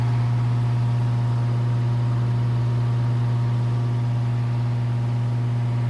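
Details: Circa 1948–1950 Hunter CG-16 industrial fan, bought weathered from an antique store, running after the oscillator mechanism was freed and lubricated: strong, steady low hum with even whoosh, no knocking or squeal; normal fan running.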